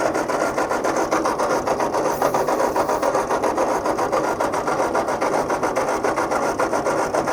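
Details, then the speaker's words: Tractor with a rebuilt engine, fuel confirmed and switches on, cranked with throttle: steady churn at nearly two compression beats a second, almost catching but never firing. Cranks but won't start; owner suspects it needs more throttle, later finds it flooded. "that almost wanted to go didn't it come on baby come on [Music] might need more juice"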